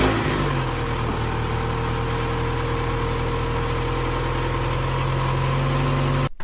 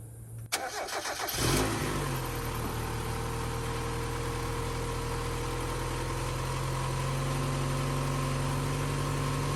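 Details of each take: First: Mazda MX-5 1.6, 118,000 miles, started from freezing cold the next day: smooth even low idle hum, quiet with no ticks or rattles, then shut off; engine sounds good despite some blue smoke. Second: Mazda MX-5 1.6, 118,000 miles, started from freezing cold before compression test: brief crank then steady even cold idle with no clear knock, while blue smoke comes from the exhaust, pointing to oil burning.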